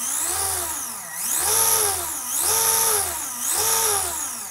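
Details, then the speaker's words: Iron Man exosuit gearbox with reprinted 3D-printed gear on the pulley, previous prints 80–90% infill and warped: gears whir smoothly spinning up and coasting down, no knocking or grinding; much nicer than before despite reduced spindle size. "much, much nicer than it was, even with the reduced spindle size."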